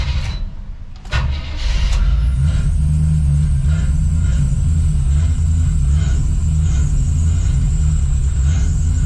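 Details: Chevy square-body crew cab with TBI, right after a tune-up with new cap and rotor: cranks, catches and runs with a low uneven throb, staying alive only on the throttle; stalling from a weak fuel pump.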